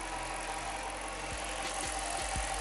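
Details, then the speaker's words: 2006 Jeep Commander 5.7 Hemi V8 after lifter replacement for a lifter tick: steady, even idle with only light injector ticking, no shaking, misfires or check engine light; normal idle. "listen to that all you hear is injected ticking [Applause] it's not shaking it's not idling rug there's no misfires the check engine light is off"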